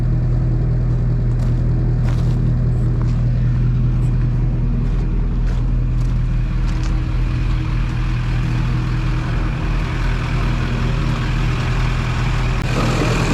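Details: Duramax diesel (2001-2016 range) after installing Dynovox stainless up-pipes replacing the OEM pipes. Steady low diesel clatter at an even idle with a few light ticks over it, nothing irregular. Normal, healthy idle.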